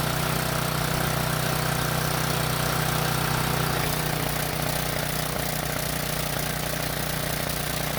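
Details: Briggs & Stratton generator that would not start after sitting unused, now repaired and test-run under a halogen work light load. Even, steady drone with no misses or surging; normal running under load.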